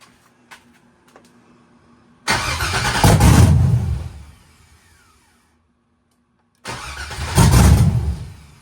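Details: Chevy truck with an LS swap and a big cam, revived after years abandoned in the woods, retuned to add timing to the startup table. Two long bursts of heavy, uneven cranking, each several seconds, before it tries to catch; extended cranking before start.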